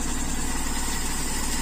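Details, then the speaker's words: Toyota Kijang Super carburettor engine, warm after running a while following the air-leak repair: steady, even idle with a smooth low pulse and no hunting or stumbling; warm idle holding fine. "setelah kita pakai agak lama panas insyaah masih oke ya stasionernya"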